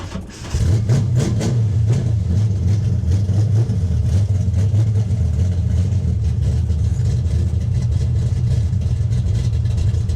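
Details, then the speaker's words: 1965 carbureted car, carburetor without choke, true cold start at about 29°F after sitting outside in snow: brief crank, catches quickly and settles into steady even deep rumble with no misses; healthy cold start. "this carburetor does not have a choke on it"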